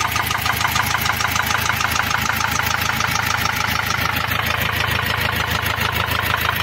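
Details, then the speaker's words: Ford Transit diesel van at idle: a sharp, even metallic ticking about three per second. The cause was a rocker arm fallen out on the first cylinder, leaving that valve inoperative and slightly damaging the camshaft edge. "o barulho é o quê um balancinho ele tava caído fora aqui ó do primeiro cilindro ele tava caído para fora não tava funcionando essa válvula aqui"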